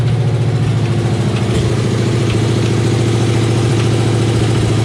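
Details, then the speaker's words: Freshly rebuilt 350 small-block Chevy in a 1989 Chevrolet K2500, revving: heavy, steady metallic pounding about three hits a second; owner suspected a bent pushrod after a hydraulic roller swap; metal was later found in the oil and a nut in cylinder #8; severe knock. "i started running it you know i was revving it up and i started hearing it more and more and more and more so i shut it off"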